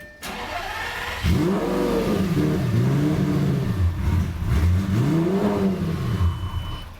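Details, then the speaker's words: Lamborghini on the reverted tune with the flex fuel sensor working, in neutral: it starts, flares to 3000 rpm, and with a little gas the revs hunt raggedly, it runs poorly, then dies; the base map is from an e-gear car and this car is not. "so it starts up goes to 3 grand and then immediately dies if I give it a little bit of gas [Applause] [Music] yeah it runs it runs kind of poorly and then it just dies"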